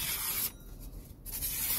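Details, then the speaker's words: Kitchen knife after hand sharpening on a whetstone, paper slice test: two quick smooth hissing strokes through paper with no snagging or tearing; edge is keen and cuts cleanly. "yeah so that's like you know that's the minimum sharpness that i want on my kitchen knives"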